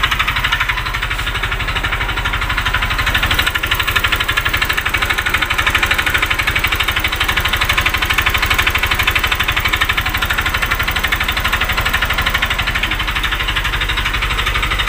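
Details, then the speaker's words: Honda Vario 125 FI scooter after an engine teardown for a leaking radiator and a +1.00 mm oversize piston: rough, quick metallic ticking about twice a second at idle, louder when the throttle is released below ~2000 rpm; connecting rod suspected although it had no play. "Seperti apa ya suaranya, ciri-ciri stang piston kena meskipun tidak kocak ya."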